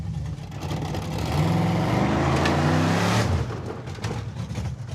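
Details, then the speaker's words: Mazda mini truck with a swapped engine (Mazdarati 2.0) at full throttle from a standstill; the engine note rises slowly and flattens, sounding strained, and it barely hazes the tires. It makes no power and isn't running right. "We're matting it, and it's barely hazing the tires. It's mostly just accelerating. It makes no power."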